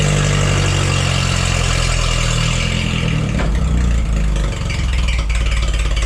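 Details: Forklift engine after replacing the bad spark plug: steady low hum with a brief rev, no stumble or miss; misfire fixed, runs great.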